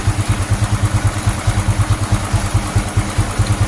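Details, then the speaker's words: Honda Supra X 125 FI after fitting racing valve springs and addressing cam chain tensioner noise: even low thump around 140 beats a minute at idle and slightly raised rpm, steady with no rattle or tap; normal, very smooth idle. "Halus banget suaranya. Gila."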